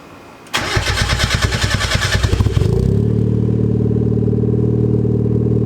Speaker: so you might have been able to hear that little bit of a rattle in there actually muffler sounds good but it's broken